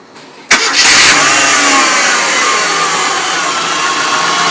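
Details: MG ZR engine starting and idling: bright, hissy whir persisting over idle, audible from a distance and worsening over time; alternator suggested as possible source, unconfirmed.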